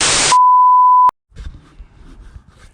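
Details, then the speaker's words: A single steady high-pitched beep of under a second, then the recording cuts off as the camera shuts itself down (cause unclear), during an LS V8 swap into a 1995 Camaro, before the first start. "uh sorry camera keeps shutting off"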